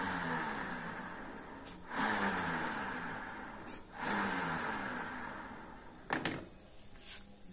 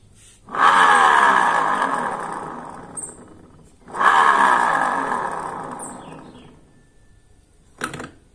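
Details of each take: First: Honda Vario 125 LED New scooter CVT after repair: hand-spun rear wheel whirrs smoothly and quietly, no grinding; the harsh grinding that rose with speed came from the rear pulley bearing, now fixed. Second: Honda Vario 125 LED New scooter CVT, rear wheel hand-spun with rear pulley fitted after gearbox checked smooth without it: rough gritty grinding rising with spin, worse at higher speed; noise traced to rear pulley, likely worn inner bearing.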